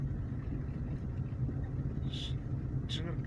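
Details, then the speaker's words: VAZ 2112 while driving: over a low road rumble, short high-pitched chirps come three times in about a second and a half. It is a squeak from the door area in the cabin. "что-то непонятно но тот неприятный писк скрип не знаю как его назвать вот я убрал"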